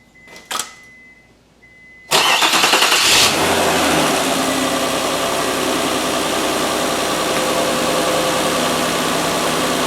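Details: Mazda 626 cold start after the worn idler pulley (19 years, 125,000 miles) and both drive belts were replaced: it cranks and catches quickly, then settles to a smooth, even cold idle with no squeal, chirp or rattle, much quieter than before.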